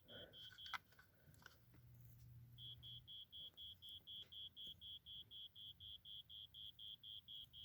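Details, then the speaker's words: 1987 Wake And Warn 2 smoke detector with rusted battery compartment, battery held by hand, test button: quiet high-pitched beep repeating about four times a second; sounder works but faint, rust likely affecting it, unconfirmed. "so we know it works although it admits a faint sound so that's pretty cool so at least we know it works anyways"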